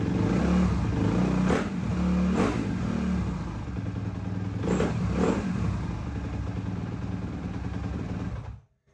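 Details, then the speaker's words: 2007 Suzuki RM-Z engine after rebuild from locked-up state: runs and takes a couple of blips but sounds flat, hesitant, stumbles before dying; bogs without choke, carburettor suspected dirty, not confirmed. "while she runs it definitely sounds like i have to get into the carburetor a little bit probably a little bit dirty without the choke on she bogs a little bit so i'll just have to take care of that"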